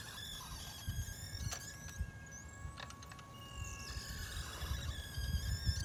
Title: New Champion Wheelie bird 2.0 clay thrower wobbler problems making noise, jerking loose upper rack.